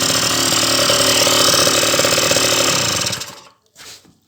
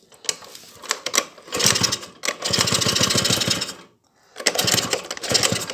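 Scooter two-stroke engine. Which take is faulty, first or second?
first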